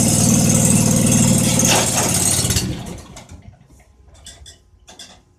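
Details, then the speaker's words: John Deere 425 after fitting a new battery with cleaned, greased terminals; fuel pump heard first. Cranks and catches at once, then an even, steady idle rumble with no misses; normal start. "okay well she's running so uh I think we'll let that run there a little bit"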